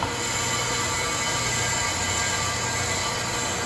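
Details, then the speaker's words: Accu-Turn 8922 brake lathe cutting a car's brake rotor that is badly worn out of parallel: a steady high ringing scrape with a constant tone as the bit cuts. "might get to sound like we're cutting off a bunch here in a minute you hear that yeah okay because this thing is worn with a lot of parallelism"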